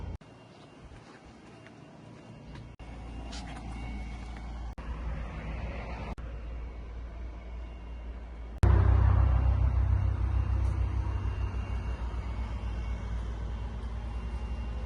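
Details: 1997 Ford Mustang GT, 4.6 V8, at rough idle: a loud steady knock of about four beats a second. The owner suspects the A/C compressor rather than the engine; not confirmed.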